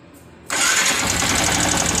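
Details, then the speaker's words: Yamaha R15 engine at idle with harsh, busy clatter and fast light tapping, dominant at cylinder block and head; valve clearance set too tight suspected of wearing valve stems and adjuster screws, engine to be disassembled. "Oke jadi seperti itu suaranya Suaranya terdengar dominan di bagian blok silinder dan Head Silinder ya"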